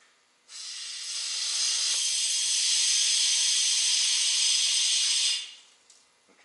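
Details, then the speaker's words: DD15 truck engine after fuel pump reinstall, fuel system pressurized with shop air toward 100 psi through a homemade connector: loud steady hiss for several seconds then stops; air escaping at the leaking connector fitting. "it's leaking so it's working the boss put this together he put that connector on there"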